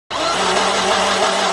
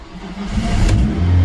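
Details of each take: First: Volvo V40 petrol engine: fast, even, free crank with no compression pulses, never catching. No compression; suspected cause is fuel washing down the cylinder walls and mixing with the oil, unconfirmed. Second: Old Volvo V40 petrol engine that had no compression, after squirting oil into cylinders and cleaning plugs: catches after cranking and revs strongly and cleanly, burning off the oil. Engine starts and revs.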